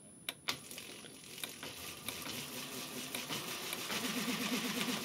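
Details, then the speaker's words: JET BD-11 lathe CNC conversion, 1.5 kW servo driving the spindle through an HTD8M 40 mm toothed belt on temporary 3D-printed pulleys, belt siliconed: quiet, soft running with light clicks and no whine below 400 rpm; whine begins above 600–800. "То есть до 400 она практически вообще тихо работает без проблем."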